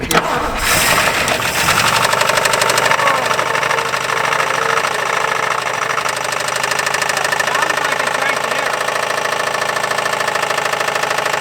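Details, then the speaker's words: 1959 Buick 364 Nailhead V8 first start since early 1970s, quiet exhaust, oil gauge halfway: loose rattly knock at fast idle, suspected rod knock in bottom end; engine knocking. "the exhaust is quiet anyway yeah it allows you to hear the horrifying rod much better is that rod knock it's gotta be"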